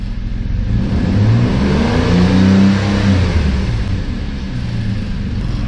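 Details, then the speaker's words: 2008 Saturn Aura 3.6L V6, 137,000 miles, after rod-knock repair, about halfway to operating temperature: deep note climbs on each throttle blip and drops back evenly, no knock; bottom end sounds sound. "i thought maybe we'd give her a little throttle and see what happens you guys cross your fingers hopefully we won't hear any knocking no not"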